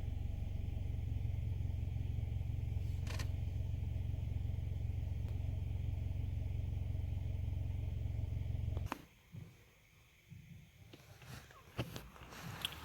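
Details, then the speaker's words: 2015 Nissan Altima 2.5 with P0014 and P0300 codes, after repair, idling in Drive: low, steady, even idle with no shaking, no misfire, no roughness. "so you're going to put it in Drive it's not shaking no more no misfire no idle is not rough no more"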